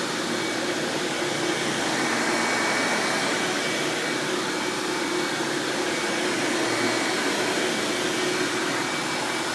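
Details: 1997 Hoover Dirt Finder Power Drive U6331-930 self-propelled upright vacuum running in floor mode: steady, even whirring roar, no knocks, rattles or surging; runs exceptionally smooth and surprisingly quiet for an Elite-style machine, normal running.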